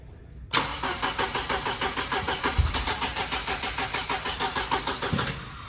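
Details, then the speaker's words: 1992 Mercedes-Benz 190E 2.3 (Evo II replica build) cranking steadily about three beats per second without catching; plug wires confirmed in correct order, distributor rotor suspected. "This was confusing Jason and Ethan because they had all the wires in the right order, so what could possibly be causing the car to not start? Maybe we should pull this off and check the distributor rotor."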